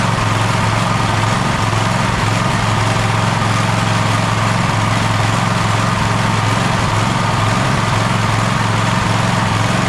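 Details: Gravely ZTX 42-inch zero-turn mower at 160 hours, in for engine service, mulch kit recently added: engine holds a steady speed with a lumpy, uneven beat underneath, still running rough after the fuel line was refitted.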